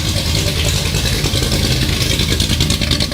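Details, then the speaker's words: Vintage Ford highboy truck V8 with headers, fresh main and rod bearings, and a new chambered muffler, recorded in the shop: loud, raspy rumble with a crackling edge as it revs; louder than the old muffler; owner suspects cam profile and/or headers. "so yeah really loud like I can't even hardly hear myself talking here of course we're in the shop so that's going to make it worse but I don't know what makes this thing so loud if it's my cam the cam profile I have or if it's the fact that I have headers or combination of the two"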